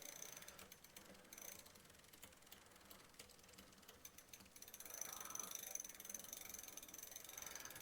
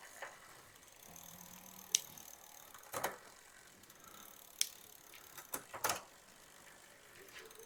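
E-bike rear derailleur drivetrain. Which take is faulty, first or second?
first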